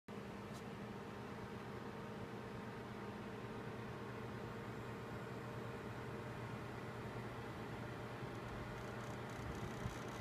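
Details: Gigabyte G1 GTX 1070 graphics card cooler fans at around 50% max RPM: quiet whirr with rough gritty hum, a defective grinding fan.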